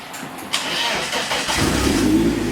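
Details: Nissan 240SX after fitting a new starter, replacing one with a worn bushing and failed solenoid: short crank catches quickly, and the engine fires and settles into a steady idle, no grinding; smoke seen afterwards.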